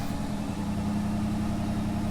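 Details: '74 Mercury Comet at a steady, even idle with a constant low tone and no whistle or stumble, after a leaking carb gasket was replaced with Felpro cork; engine running smoothly.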